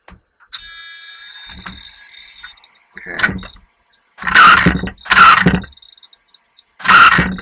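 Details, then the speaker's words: Team Associated RC10 B5m 1/10 2WD mid-motor electric buggy with a modest sensorless motor, after slipper clutch adjustment: short whirring launches lift the front end, with brief slip that doesn't drone on, a good initial slipper setting. "okay that's getting the front end off the ground and as you can hear the clutch is slipping a bit but it's not slipping on and on and i think that's a a good initial setting"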